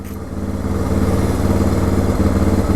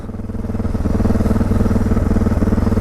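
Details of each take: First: 2006 Suzuki DR650 with FMF header, Lex slip-on, drilled airbox and carb slide: steady, even single-cylinder thump at a fast idle after carb adjustment, though it still surges and hiccups when ridden. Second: 2006 Suzuki DR650 with FMF header, Lex slip-on, drilled airbox and carb slide: fast, slightly lumpy jumpy idle around four pulses a second and rising; idle set too high and still surging.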